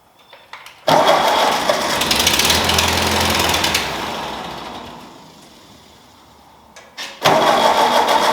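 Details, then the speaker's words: Ford 2N tractor converted to 12 volt, carburetor partly rebuilt: engine catches, runs briefly, then sags and dies; cannot hold idle, jet found chewed up and stuck; later fixed with a new aftermarket carburetor. "so when i blow air through it nothing seems like it's clogged up but there are some marks that look like somebody at one point tried to take the jet out of there and must have scared it up because you can't get a flat head on it will not come out of there"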